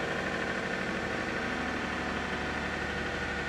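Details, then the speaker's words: 2007 Toyota Camry V6 cold start at 27°F: steady, even idle with smooth continuous hum, no knocks or ticks; starter pinion possibly sticking briefly, otherwise no problem. "otherwise obviously no problem"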